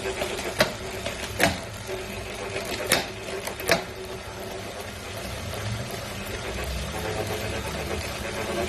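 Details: New Wahoo Kickr V5 smart trainer, a replacement for a clanking Kickr Core: rhythmic scraping knocks under a steady whirring spin easing into a rough continuous rasp; grinding noise in the drive, cause unclear.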